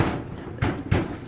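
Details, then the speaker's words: Clothes dryer that intermittently would not start or ran very rough, with something the kids left stuck inside: hard thumps about a third of a second apart as the drum starts turning; foreign object jammed in the drum. "and because my kids left this out of the dryer, and so something got stuck in there. So it sounds really bad when you turn it"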